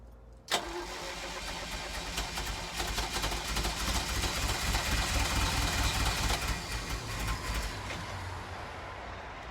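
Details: 1983 Ferrari 308 under rebuild, fresh fuel filter fitted and jerry-can fuel added to check for a suspected fuel issue; steady churning crank for several seconds with no catch to idle. Cranks but won't fire, cause unconfirmed.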